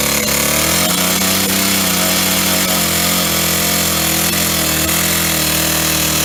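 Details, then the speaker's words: Old Stihl 08S chainsaw, first start in a while on old gas, running off choke: loud, strained buzz while cutting a log with faint ticks; knocking, top or bottom end unknown, very low on power. "so it's definitely knocking and uh either on the top end or bottom end she's quite loud there she's uh very low on power she really struggled with that log there"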